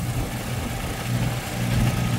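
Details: WW1 replica airplane engine started after years sitting in a shed. Low, steady buzzing beat holds even with no stumbles or misses: a two-stroke idling cleanly, with its tuning praised as well done.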